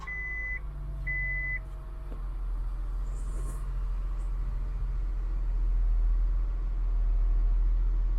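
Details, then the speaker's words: 2000 Acura 3.2 TL, high mileage, idling after a new starter motor was fitted: two dash chimes, then a smooth, even low idle rumble with no stumble or knock; the engine sounds healthy. "Let's do a startup now and see if the starter works. Ah, sounds beautiful."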